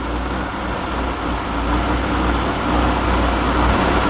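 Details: 1966 Chevy sports van, stock 230 six with HEI, Weber 32/36 2bbl carb on stock manifold, idling in neutral with camera on carb; fast steady idle that grows louder as throttle plates close, revealing a vacuum leak causing high revs.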